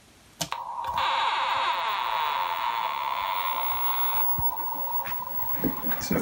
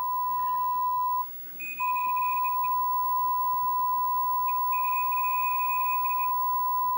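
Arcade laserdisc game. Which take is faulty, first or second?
first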